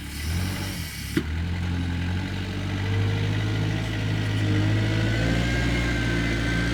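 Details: Kubota 520 hydrostatic wheel loader, testing high/low range after fixing transmission stuck in low range: steady even engine drone while reversing, smooth drive tone, no knocks or grinding; normal hydrostatic drive in reverse.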